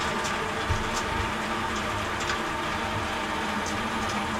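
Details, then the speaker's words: Water heater flush with tank mostly drained, cold water supply turned back on and pressure relief valve left open to hear it: steady rushing hiss of water refilling the tank, stirring up bottom sediment, no knocks or pops. "Alright, so we're going to turn the water back on. We're going to leave the pressure relief valve open so we can hear it going in."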